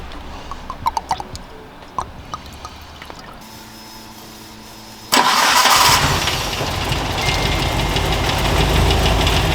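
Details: Mitsubishi Evo 8 petrol engine, long stood unused, recently oil-changed: steady tapping knock at idle that worsens as it warms. Owner suspected lifters or oil grade; turned out to be the bottom end.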